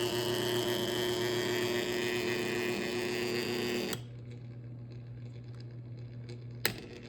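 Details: An electric motor runs with a rough, hissing whir over a steady hum, then cuts off; bad bearings suspected.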